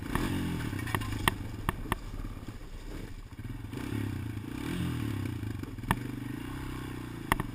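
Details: GoPro Motorsport edition mounted on a rider's helmet: sharp, irregular clicks a few seconds apart over wind and low engine drone while riding. The source of the clicking is unclear.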